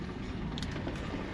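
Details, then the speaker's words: Land Rover LR3 after replacing front left driveshaft (clicked in hard left turns, CV bearing worn), car raised to high suspension, tight turn test: only steady tire rumble, no clicking or knocking; new joint healthy. "same thing. You only hear the noise from the tires, and that's it. There is absolutely no clicks, no nothing."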